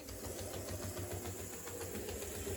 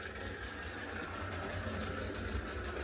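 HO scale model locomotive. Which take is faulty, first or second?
first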